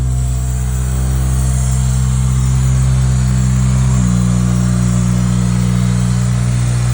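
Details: Acura RSX K24A2 four-cylinder, first start after new thermostat, knock sensor, throttle body adapter and cleaned IACV and throttle body: smooth even low hum, idle steps slightly lower then holds steady, no miss or knock; running better, healthy.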